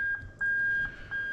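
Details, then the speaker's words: Toyota Altezza RS200 with 3UZ-FE VVT-i engine on an adapted plug-and-play harness and J160 manual gearbox, reverse switch bridged by wire: clear high-pitched beep pulsing about every half second with short gaps; reverse warning buzzer working properly. "i'm going to bridge the reverse switch and that's then going to cause the car to activate reverse and we're going to hear the annoying beep"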